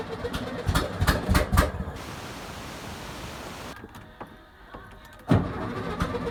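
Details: 1971 VW Beetle project engine started and running with no exhaust fitted: loud ragged chuffing bursts and open-pipe popping, a quieter stretch, then picks up again; owner unsure if it sounds good and needs the exhaust on to judge.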